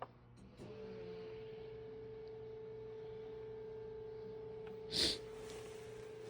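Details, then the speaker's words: 2011 VW Jetta Sportwagen 2.0 TDI fuel pump activated via VCDS after fuel filter replacement, steady even electric hum at constant pitch changing tone as it primes, with handling clicks; normal. "Okay, it's been about 30 seconds, I think. And we got to do it at least one more time. You can hear the change in the tone now."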